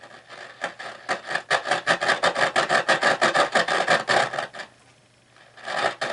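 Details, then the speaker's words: 1960s Roberts R200 transistor radio before recap; harsh rasping crackle pulsing about three times a second then dropping out, clearly unhealthy; owner suspects the tuning capacitor, possibly a faulty transistor, unconfirmed. "because at the moment, and I can show you, at the moment, while it does make a noise, it clearly isn't very healthy."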